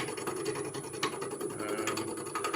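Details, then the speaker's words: Chatter while turning a wood and resin bottle stopper on a lathe with a square carbide tool: a fast, rough ratcheting buzz, possibly from pressing too hard; later switched to a rounded carbide tool. "you're gonna hear that chatter and chatter rich lady fella it's one of two things pressing too hard"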